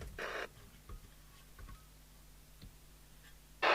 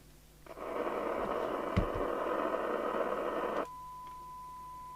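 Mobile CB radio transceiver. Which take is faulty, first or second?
second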